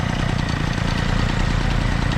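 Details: Peugeot 103 moped with an Airsal 65cc T3 engine, first start, in cold weather: quick, even buzzing pulses at a steady pace with no stumbles or dropouts; the two-stroke is idling cleanly.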